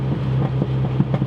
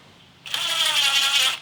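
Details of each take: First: Rebuilt turbocharged MINI with built engine, larger turbo, upgraded transmission, during break-in driving: low engine drone broken by sharp exhaust pops, some in pairs; exhaust backfiring, unresolved issue alongside check engine lights. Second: Rebuilt turbocharged MINI with built engine and larger turbo, after break-in oil and filter change: starter crank, engine catches and flares, settles into steady smooth idle with faint turbo whistle; normal.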